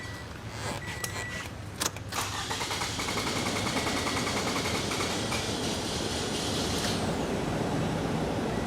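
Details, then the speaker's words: 2014 Toyota RAV4, returnless fuel system, hot restart, fuel pressure dropped to zero after shutdown; fuel pump, MAF, catalytic converter and one injector already replaced: starter turns about two seconds before catching, slight misfire, rich code P0172; long crank, cause unconfirmed. "very long crank time even for you know just having a check valve bleed off normally they'll build pressure fairly quick and not have an issue"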